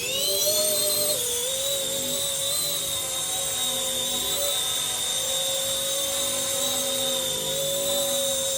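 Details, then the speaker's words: RC ERA C190 Airbus H145 RC helicopter after main gear replacement: high steady rotor whine in hover, even pitch, earlier gear noise gone; smooth and healthy. "Smooth so far. There you go. Very smooth."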